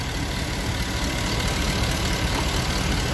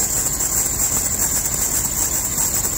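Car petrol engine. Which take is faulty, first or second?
second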